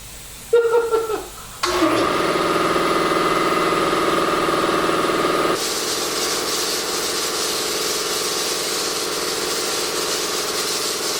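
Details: New NorthStar 2 HP 20-gallon air compressor, first start-up: short click and hiss, then motor drones at a steady pitch with the pump clattering evenly; normal running.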